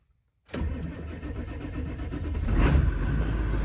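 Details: Ford 7.3L diesel started after fuel filter change and fuel system priming: engine catches almost at once and settles into a steady, even diesel clatter at idle with no misses; starts and runs normally.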